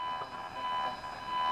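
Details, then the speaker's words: ATS-20 radio, telescopic whip held right by a powered-on ATS-25: steady electronic buzz with fixed high whistles over hiss, radiated by the ATS-25's display screen; the noise stops when the ATS-25 is switched off. "25 turned on i'm holding it right by the telescopic on the ats 20 and you can hear the ats 20 is picking up the noise from the screen and just to demonstrate i'll turn the ats 25 off and the noise goes"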